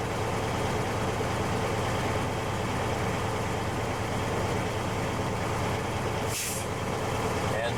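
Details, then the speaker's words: Commercial truck air brake test during CDL in-cab inspection: buzzer at 60 psi, pressure built to 120 psi; steady diesel idle then one sharp air hiss as the governor cuts out; normal. "Now I will go to 120 and you'll hear my governor kick in. It will make a noise. You'll hear it."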